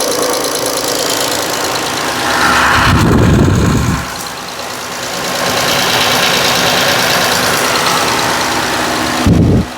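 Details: 2014 Dodge Grand Caravan, P0305 misfire, plugs and coil already replaced elsewhere; mic at back of engine at cold idle (coolant below 180°F), light quick tick about twice a second with an uneven beat and visible shaking; steady check-engine light.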